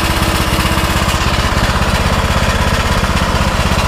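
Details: Custom-built Troy-Bilt riding lawnmower, bought on Marketplace, running outside in park: steady, even single-cylinder thumping at fast idle, no knocks or misses; engine running healthy.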